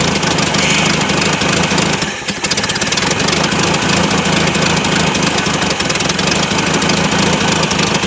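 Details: LS-swapped Mazda B2200 truck, first start in 17 years on starting fluid in the carburetor; runs ragged and uneven at idle, stumbling briefly around two seconds in, never settling; many vacuum lines noted, cause not confirmed.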